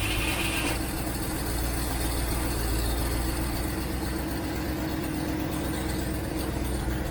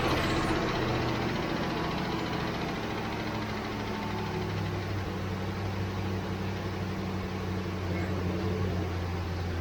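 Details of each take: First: 1967 Mustang unstarted for months, carbureted, choke on, in park, on jump box: fuel pump working but float bowl likely empty; steady starter cranking goes on without catching; crank-no-start from fuel starvation. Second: 1967 Ford Mustang carbureted V8, sat for months, after adding about 2 gallons of gas: steady, smooth low idle rumble without stumbling; running much better, lack of fuel likely the problem.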